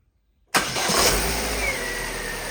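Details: Salvage Vauxhall Astra Excite with codes 59 and 24 stored, battery charged overnight: the engine catches instantly on the first crank and settles into a smooth, steady idle with no misfire or knock.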